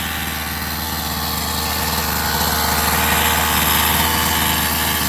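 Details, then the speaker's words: Rovan 45cc two-stroke in XLT RC after new clutch carrier and 8,000 clutch spring: steady, even idle buzz with no shaking, big improvement; clutch was likely out of balance. "It's not shaking as much as before. Definitely way better than before. It's not shaking that much. Wow, what a difference."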